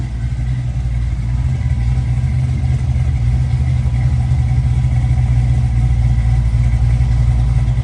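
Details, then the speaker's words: 1965 Chevy Nova V8, first start with newly installed performance cam, non-boosted, 50–60 psi oil pressure, throttle blades cracked open: deep loping choppy idle around four pulses a second, steady; normal lumpy idle with performance cam. "yeah this thing uh so glad we put that cam in there it sounds pretty damn good"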